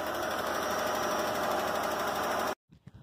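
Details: 2005 Hyundai Santa Fe 2.7 V6, first start in seven years after the perished fuel line was replaced with 7mm hose and it was jump-started. Steady, even running with a fast light mechanical patter, no misses or knocks; it idles smoothly, then cuts off.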